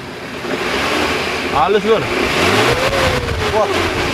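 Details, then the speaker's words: 2008 Suzuki Carry Pickup 1.5, oil level and colour fine, started instantly: smooth idle, then clean throttle blips with an even note and no knocks or rattles. RPM and temperature normal; healthy engine. "ini suara stasioner suaranya masih halus ada suara aneh-aneh nggak ada sih aman ya saya coba gasnya"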